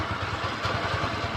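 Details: Kymco Easy scooter after the earlier krek-krek idle noise near the CVT was fixed: short stretch of even, quick idle pulses with no ticking or clatter; quiet, normal idle.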